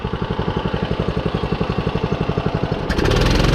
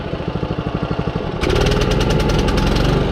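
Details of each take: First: John Deere 14SB push mower, single-cylinder, during carburetor adjustments: even idle around four beats a second, then revs cleanly to steady high speed with no bog or stumble. Owner notes slight top-end tap, valves possibly need adjusting. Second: John Deere 14SB push mower, single-cylinder, after carburetor adjustments: putters evenly at about 3.5 beats a second, then labours and bogs as load comes on. Owner wonders if it is running out of fuel; not confirmed.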